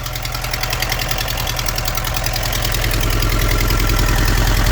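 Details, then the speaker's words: Engine idling with a heavy, regular knock three to four times a second after the oil pressure warning light was ignored; oil starvation has ruined the block. "That's what we call shot the block, because of lack of oil. Someone did ignore that warning light, and the fuel is just as full. Wow, with a knocking engine, this is going to be a useless one."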